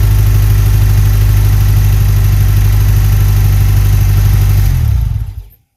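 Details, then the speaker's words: 1991 Ford Ranger 2.3 liter, manual, after engine rebuild, with new spark plugs, no muffler: very loud, deep, blatting exhaust drone with an even pulse near 190 per minute that cuts off; open exhaust. "it's loud there's no Muffet on it so it's real loud so I'm going and crank it up we're going to see what it sounds like"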